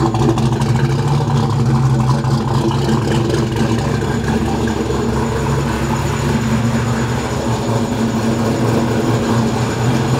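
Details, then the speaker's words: Ford 302 Windsor V8 in a small black Ford Mustang at first start after a distributorless coil-near-plug conversion (Godzilla coils, Crown Vic EEC-V ECU, mostly junkyard parts): even, smooth idle, steady low rumble, no misses or knocks; runs well, stage one of a remote tune. "all right the engine runs it sounds pretty good so this is just stage one of the the tuning process"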